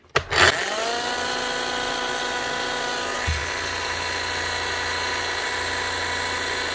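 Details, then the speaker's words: Bosch GSH11E demolition hammer, damaged by previous wrong assembly, tested after repair; motor spins to a steady high whine with a rough, gritty undertone; it runs and hammers but damage is too great, armature needs replacing. "she's running and she'll hammer but that is just too much damage it's just not worth doing much more than that"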